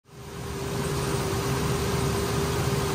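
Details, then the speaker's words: 2002 Ford Ranger 4.0 at idle: steady high whir holding one pitch from the accessory belt drive; could be belt, tensioner, idler, alternator or power steering pump, idler and belt to be replaced. "does your truck sound like this well it could be your belt could be your tensioner could be your idler your alternator power steering pump any of that if it's starting to make noise"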